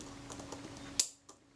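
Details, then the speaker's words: Kodak Retinette IIB camera during servicing, after refitting the spring: one crisp clean shutter snap with no drag or double click; shutter firing properly. "The shutter fires. Okay. That's good."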